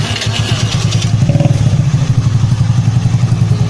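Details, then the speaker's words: Honda Beat carburetor scooter after reassembly with a homemade replacement decompression pin: starts without trouble, strong even exhaust pulses rev smoothly with no stumble or rough sound; normal engine running. "ตอนสตาร์ทไม่มีปัญหาไม่มีอาการสะดุดเครื่องยนต์ไม่มีเสียงหยาบแปลว่าปลอดภัยไม่มีปัญหา"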